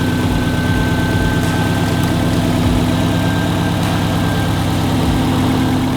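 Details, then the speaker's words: 2004 Subaru WRX STI with a fresh Type RA EJ short block, on a base tune with unequal-length headers. First-start idle at about 205 degrees while bleeding coolant. Deep, lopey boxer burble, steady with no knocks or misses: sounds pretty good, normal idle. "it does sound pretty good okay I'll give you that it sounds good"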